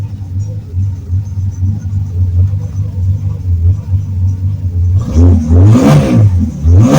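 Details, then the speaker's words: 1970 Ford Torino inline six turbo with new exhaust system, at idle: deep, smooth low rumble with little rasp, quieter and deeper than before, then a couple of throttle blips; normal exhaust note. "well it's a little bit quieter it's definitely a lot deeper without as much of a raspy pitch as what it had before so that's positive"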